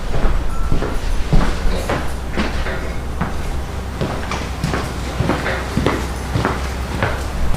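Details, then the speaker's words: Free used small single-cylinder engine, swapped into a mini hot rod, barely runs with the choke on, firing in ragged, uneven chuffs with skipped beats. Owner suspects a stuck valve, and lead is dripped in to free it. "we've been trying to figure out what's going on and I think that motor had a stuck valve"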